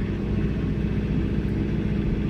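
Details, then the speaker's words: John Deere 4066R compact tractor, C range, load match deactivated, throttle raised then hydrostatic pedal pressed fully: diesel drone drops and labours heavily, nearly stalling; engine bogging under load, which load match is designed to prevent. "You can hear how the engine bogged down, almost stalling out. Now, load match is designed to prevent that."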